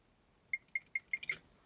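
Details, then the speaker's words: Atari STFM motherboard fitted with a Raspberry Pi Pico IKBD emulator and a USB keyboard, heard through the speaker with the monitor showing nothing. Five crisp, high clicks, one per key press; the keyclick is working normally. "Well, listen, I heard clicks. There's keyboard click."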